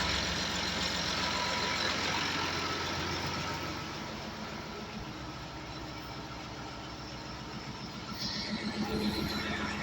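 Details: Tractor diesel idling after a no-start traced to a battery master switch that would not disconnect, then would not engage: steady, even clatter with no misses or knocks, settling slightly after starting; running normally.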